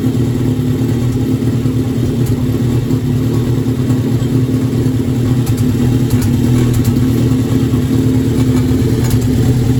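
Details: Formula engine starting after intake manifold gasket installed, running with an uneven, lumpy beat and a stumble roughly every second; misfire, cause not confirmed.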